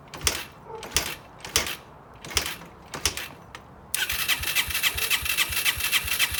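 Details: Yamaha TTR125 during restoration, first start after engine reassembly and wiring, exhaust fitted and baffle tightened: several attempts that don't catch before the single fires and settles into a quick, uneven putter; hard starting, needed brake cleaner to start.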